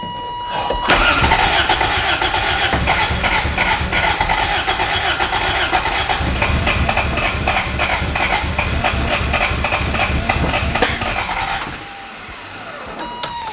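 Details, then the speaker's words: Abandoned Toyota MR2 being revived, in neutral, brake cleaner sprayed in as starting fluid to test for fuel: starter cranks about four turns a second with ragged firing bursts that never catch; it tries but won't run, fuel starvation suspected. "oh-ho-ho it's trying oh it's close all right let it cool down for a little bit i hear fuel"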